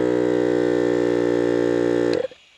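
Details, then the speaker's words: Electric water pump in an overland expedition vehicle whines unloaded for about two seconds, then cuts off, with hissing and gurgling; it runs dry because the tank may be nearly empty. "Das hört mir hier zischen. Man hört es gluckern. Vielleicht ist nicht mehr genug Wasser drin, nee, vielleicht ist nur noch ein Pfützel."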